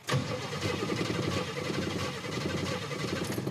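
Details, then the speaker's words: Starter turns the engine over with an uneven, galloping rhythm, one beat lighter than the rest; one cylinder's compression differs from the others, indicating low compression in one cylinder. "one cylinder compression is not like the other."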